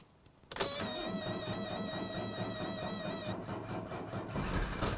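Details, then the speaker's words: Older Mercedes diesel, cold start without pre-glow, weak battery, no throttle: after a brief crank it catches at once and settles into a steady, even idle; quick start despite low battery indicates a strong, healthy engine. "now the battery's kind of low so that's even a better sign know if that battery were really spinning this thing would have fired up a lot sooner"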